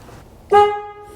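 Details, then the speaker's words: 1968 Ford F100 (360ci V8) horn test after rewiring: alligator clip touched from the terminal behind the steering wheel to ground triggers the relay, giving a loud, clean two-tone blast that fades evenly; both horns working normally. "It activated the relay, closed the circuit so that this horn could get the juice that it needs, and we are looking good."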